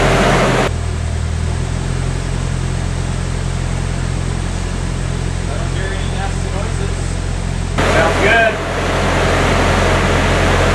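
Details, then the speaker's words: Nissan S14 Silvia, first start of a freshly built replacement SR20DE+T after swapping out the blown SR20DET: steady, even low drone with no knocks. Idle is not great yet, but there is no smoke. Normal first-start idle. "she is purring for a first startup that's those I'm stoked sounds good so far it's not a great Idol"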